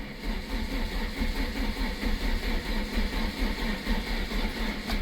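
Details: 1999 VW Lupo, 1.4 16-valve, heavily modified, running low on fuel with a dying battery: a low, lumpy idle with an uneven pulse that never smooths out, typical of a misfire; cause still unclear.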